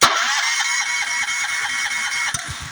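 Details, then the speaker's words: Honda GX390 engine, key start: a steady starter whir with even compression pulses that never catch. No spark was confirmed with a tester, and a faulty low-oil sensor is grounding the ignition. "I'm turning the key it's cranking it's cranking I checked the spark and there's no spark"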